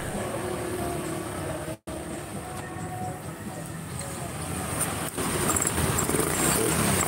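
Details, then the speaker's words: Honda Scoopy scooter engine after teardown and reassembly for hard starting, misfiring and poor idle when cold (valve compression leak suspected): smooth, even putter firming slightly as revs rise, no knocks or misfires; starts instantly, normal idle. "Oke, mesin sudah langsung tokcer dengan sempurna tanpa ada kendala."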